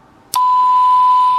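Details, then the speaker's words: 1960s vintage CB walkie-talkie receiving a TinySA-generated signal after peaking its alignment on a signal meter: clean, steady tone near 1 kHz, strong with almost no hiss; much better reception. "listen to that signal on the cyanad meter and now we'll pick it on there right that's a lot better now"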